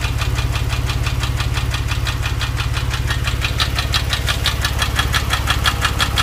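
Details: Warm Porsche 997 engine held near 2000 rpm with a fast, even ticking riding steadily over it; source unclear, owner asking for ideas.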